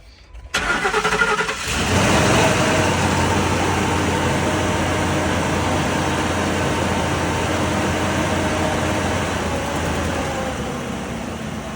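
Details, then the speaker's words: 2004 Ford F-150 4x4 started on a jump box: cranks briefly, catches quickly and settles into a smooth, even idle with no knocks or misses; moved backward and forward, sounding good. "it backward and forward sounded pretty good"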